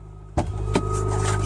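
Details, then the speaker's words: Cold start of a 2011 Mitsubishi Lancer Sportback ES, about 225,000 km, at -12 on the dash: steady high belt squeal at once over idle, said to happen since a lightweight crank pulley was fitted and to taper off as it warms. "you can hear the belt squealing warming up so yeah pretty much 225"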